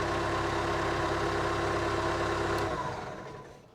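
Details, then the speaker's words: Case 430 diesel after new starter installed, cold start at 60 degrees after sitting a couple days: fires right up, smooth steady chug at even idle, then shuts off cleanly; healthy, starting much better than before. "Oh, that thing just fires right up. That's a cold start. It's 60 degrees."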